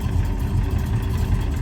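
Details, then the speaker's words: 1974 Dodge Dart Sport, Magnum-based 408 stroker with TKX five-speed manual, idle: deep lumpy idle with a loose low clatter. Gear rollover rattle in the transmission, which goes away when the clutch is pressed. "You can plainly hear that rattle. Goes away as soon as you hit the clutch. That's what's known as rollover noise."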